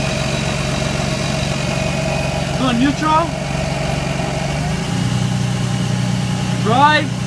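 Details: Lexus IS300 stopped at idle in Drive: light rattle over the idle that changes when shifted to Neutral. It occurs only in Drive and vanishes above 10 mph, returning at a full stop; owner suspects the transmission, source unconfirmed.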